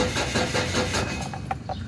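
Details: Ford Everest cranking but not starting: the starter turns with a quick, even rhythm for two seconds and the engine never fires.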